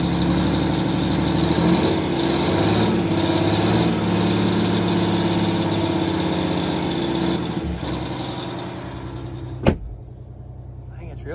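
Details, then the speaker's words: 1989 Grand Villa with two-stroke Detroit diesel, one battery dead, now charging: engine revs up and settles to a steady, even idle, not loud inside; normal running. "really not that loud in here with it running up fire oh it's starting to charge too"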